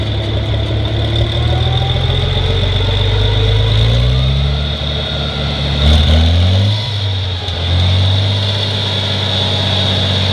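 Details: 1963 Farmall 706 gas tractor, just bought, runs after a loose gear was found inside the timing cover: even steady idle with a brief rev blip that settles cleanly back down. Normal idle.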